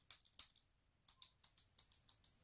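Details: SRAM XO1 trigger shifter after a DIY repair: crisp, light clicks in quick runs of about six or seven per second, clean and even; indexing properly.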